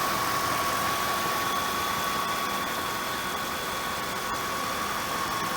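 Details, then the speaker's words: 1997 Oldsmobile Aurora 4.0-litre V8 idling smooth, even and quiet with a steady hum and no knocks, ticks or misses; normal idle. "there's that smooth quiet running 4 litre v8 your note it's nothing weird going on"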